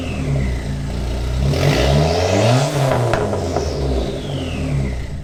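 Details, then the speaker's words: Car with newly installed Vibrant ultra quiet resonator, revved while warming up: smooth rev rising and falling cleanly with an even, mellow exhaust tone and no rattles or drone; sounds almost the same as the previous muffler. "sounds all right. I would say it sounds almost the same as the last muffler."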